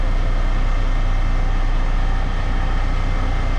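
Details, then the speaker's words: 2022 Kenworth W990 log truck, Cummins X-15 diesel, just started after fuel filter change at about 19,000 miles and priming: deep steady rumble without misses or stumbles, no leaks seen; normal start and idle. "There she goes. I don't see any leaks."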